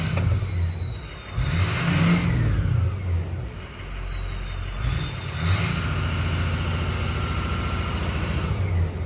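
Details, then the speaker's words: Ford 6.0 Power Stroke diesel after head studs and head gaskets, exhaust back pressure sensor now reading and VGT duty cycle responding; clean turbo whistle rising and falling with throttle blips over steady rumble; normal turbo whistle. "exhaust back pressure that was not let me focus this that was not reading at all and now it's reading which is why you hear that sweet sweet sweet 6-0 noise going on"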